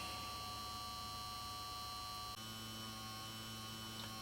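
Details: 1953 Chevrolet push-button tube car radio (model 986668) vibrator power supply converting 6 VDC to over 600 VAC, running about 420 V output at half an amp input: steady, even buzz of constant pitch, no stutter or rattle; vibrator running normally.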